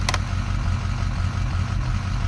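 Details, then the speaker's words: Auction-bought diesel truck fully warm, coolant and oil at temperature: uneven stumbling idle with pulses dropping out every few firings, the miss appearing with lights off and vanishing with lights on; cluster not yet sent off, cause unconfirmed. "Hear it missing? You hear that? Okay, the lights are off. Now watch. Turn the lights on. It goes away."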